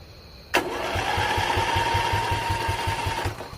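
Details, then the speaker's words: Briggs & Stratton Intek single-cylinder engine on an old mud-racing mower, choke removed and covered by hand: the starter whines and the engine chuffs over at a slow, steady crank but never catches; there is no suction because the carburetor has a hole. "Well, that's weird. You got no suction. Oh, because there's a hole right there. Remember, he did say it needed a carb."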